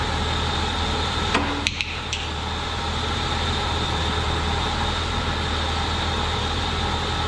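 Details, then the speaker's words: 2004 BMW 325xi replacement engine warming up after sitting a couple years; exhaust smoking, likely rodent nest burning off: a few handling knocks, then even steady idle hum; cooling system not over-pressurising, reaching temperature normally. "but the run's good it's not building ridiculous amounts of pressure in the cooling system it's coming up to temp good"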